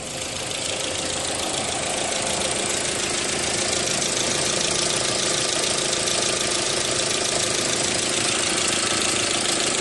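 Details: 2001 Audi A4 Quattro after fixing the no-power fuse 28/29/34 no-start; steady, even idle with a busy hiss on top, no misfire stumble, running cleanly.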